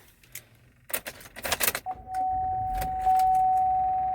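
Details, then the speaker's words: GMC Acadia where one door won't lock or unlock by remote or switch, owner noticing a smoky smell: keys rattle, then a steady high-pitched electric tone starts with the ignition; buzzing in the door, cause unknown. "now if i do it on this side lock doesn't work unlock doesn't work and you can even hear that it's not even making no sound just this weird sound"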